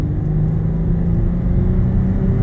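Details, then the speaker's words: Datsun on a road drive at about 100 km/h after work on its noisy differential: only a steady low rumble and engine drone, with no whine or howl from the rear end; differential quiet and normal. "Can just hear that motor revving. Listen to that. It's quiet as a mouse, eh?"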